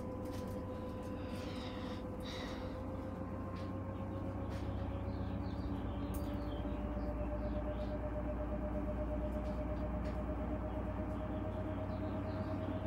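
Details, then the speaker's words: 2015 Whirlpool Cabrio washer on high spin (850 rpm), first stage: steady motor whine and low hum, speed drops then climbs in pitch as the drum ramps back up; spin not holding speed, cause unclear. "it's still in its first stage but is going to slow down a little bit and it's then it's gonna speed back up"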